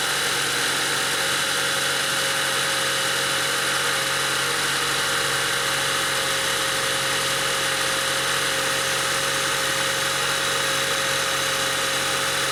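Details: 2003 Honda Civic EX with P1129 MAP sensor code history (rough idle, stalling, limp mode), started cool, MAP reading 2.69 V key-on: steady, even hum and smooth whir, no misses, knocks or hunting; normal idle as it warms.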